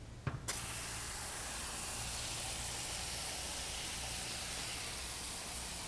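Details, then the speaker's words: IK foam sprayer after pressurising until the pressure release valve pops: short valve pop then steady, even hiss of foam for several seconds without sputtering, sprayed to end of charge, covering about a fifth of a car; normal spray. "i mean that was that was a fantastic spray pattern i was able to knock out let's just say a fifth of this car here"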